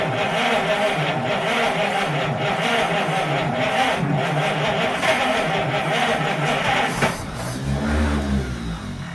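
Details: 1930 Chevrolet engine, sitting since 1954, start attempt: catches and runs ragged for several seconds, then stumbles and dies, won't keep running on its own. Hard starting, fires briefly then dies.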